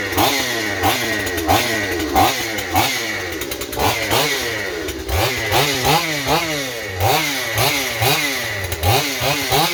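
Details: Stihl 028 chainsaw with blowback, after new crankshaft seals and a carburetor rebuild: screams at high revs, surging up and down, running away as if lean; owner suspects an air leak at high rpm behind the carburetor or intake boot, or the carburetor.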